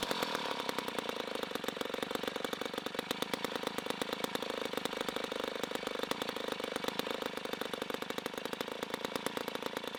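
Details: 1960s Homelite C-51/XL-12 vintage two-stroke chainsaw, revived, started with choke: loud, rapid crackling at steady speed with a slightly uneven, blubbery edge. It is running a little rich and may be low on fuel.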